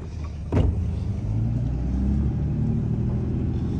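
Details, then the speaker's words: 2003-07 Cummins common-rail diesel with a low rail pressure concern, on a test drive after the lift pump ran stronger: deep, even rumble pulling cleanly under load, no stumbling or surging, rail pressure now holding; normal running. "already looking a lot better we're holding rail pressure"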